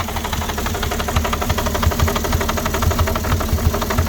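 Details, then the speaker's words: 2006 Porsche Cayenne 3.2 V6 petrol, cold, just started: uneven, lumpy idle with irregular thumps and a shaky rhythm; owner suspects a misfire or vacuum leak, also throttle body problems; cause not confirmed. "Engine starts. I don't know, got some misfire or something. Still no running properly. I think got some vacuum leak."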